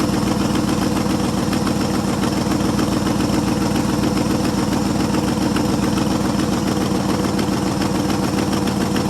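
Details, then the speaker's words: 1973 International 1210 2WD 3/4-ton, 345 V8, automatic, untouched two-barrel carb, unrun nearly two years: steady, even V8 idle with no knocks or misses, running healthily. "can't hardly believe it runs as good as it does there has been 30 some years since they ain't even ran other than like I got it a couple years ago and got it going I still hav a mess with it and it sits here and just idles away"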